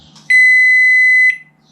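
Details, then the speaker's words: Microwave stuck on, suspected stuck relay controlling the transformer, relay pulled during test: one unbroken high-pitched beep about a second long from the control board; stuck-on alert, relay to be replaced. "yeah you're that beeping that's stuck on that's not a good sign so I need to find a really and replace it"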